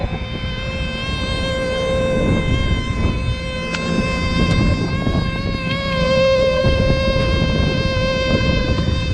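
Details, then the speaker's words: Rooftop package HVAC unit reported making an odd high-pitch squeak: steady reedy hum over blower rumble as air is pulled in along an economizer seam; opening the blower compartment to draw outside air stops it. Restricted return air causing air leak whistle. "yeah so we're getting that that humming that high pitch noise here from the from the economizer like it's pulling in along this seam"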